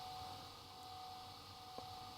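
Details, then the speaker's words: Laptop powered from 9 V centre-positive supply: faint steady high whir with occasional soft head ticks as hard disk spins up normally, though screen stays blank, backlight apparently not working. "Yeah, I hear the hard disk spinning and ticking away. Sounds normal, but there's nothing on the screen."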